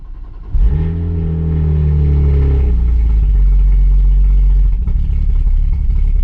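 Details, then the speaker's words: BMW 135i with fault code for rail pressure not exceeding 6 bar, after ECU and high-pressure fuel pump replaced: catches, flares high, then uneven lumpy wavering idle; same fault and symptoms remain, cause not found. "So, it looks like that's not actually the issue because we still got the exact same fault code and the same symptoms as last time."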